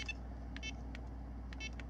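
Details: Garmin eTrex 20 GPS after repairing worn buttons with eraser pieces and tape: short crisp high beeps about every half second over low hum; each button press answers cleanly.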